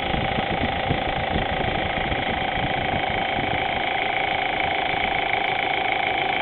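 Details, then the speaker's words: Audi A4, warm idle after about an hour of running, oil temperature above 200 degrees: light, fairly steady tick about twice a second over the engine hum, audible only at idle; fixed by replacing a bad hydraulic timing chain tensioner at the back of the head. "all right here's the noise we get after driving for a while engine is nice and warm it's is running probably an hour or so"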